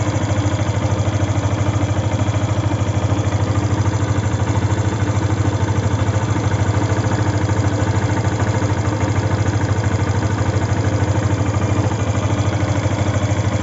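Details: Yamaha FZ V2 at idle: steady engine hum with a regular ticking thump at roughly 160 per minute, source unclear; abnormal engine noise.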